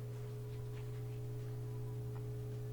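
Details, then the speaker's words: Whirlpool direct-drive washer with door-won't-unlock fault, on drain and spin cycle with empty tub: steady low constant hum of drain pump, no sloshing or grinding; drain pump running normally. "I can hear the drain's active, but there's no water in there, so you don't really hear it sloshing around."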